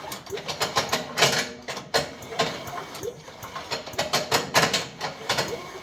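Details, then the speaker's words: Chipper with a 5 hp Briggs & Stratton engine, pulled over slowly after penetrant treatment: uneven dry metallic clatter from loose beaters inside the chipper drum, not the engine. "slow all right that uh that R rattle that's those beaters inside that that drum right here I don't know how many times I've come across these that they thought that the motor was bad because when they pulled it over it made that noise"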